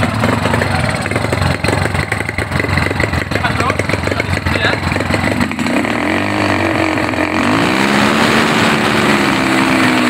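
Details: Honda GL Neotech motorcycle that runs but falters when throttle is raised: uneven, stumbling beat and unsteady, breaking-up rev climb at low and high throttle; misfire under throttle.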